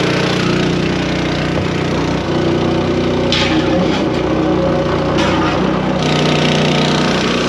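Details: New small motor on a farm sprayer, started with choke on and fuel open after filling with water: buzzing along at steady speed with a few brief rattles, no sputter or dying; runs fine.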